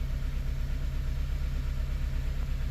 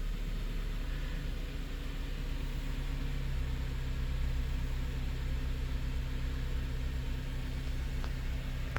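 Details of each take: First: 2006 Honda Element K24 four-cylinder idling with uneven lumpy pulse; P0301 code, misfire counts on cylinder two traced to a bad fuel injector, confirmed by injector swap. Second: 2006 Honda Element K24 that had a P0301 cylinder 1 misfire: steady, smooth idle with no stumble. Live data shows zero misfire counts.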